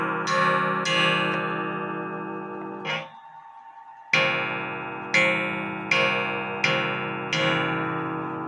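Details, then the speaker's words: Antique Japy Freres French bakers clock (c.1880–1900) after gong adjustment with the case upright: clean ringing strikes about a second apart, no buzz or rattle. "now you have to adjust the gong with the case standing up cuz if you lay it down the way of The Gong is going to make it touch the"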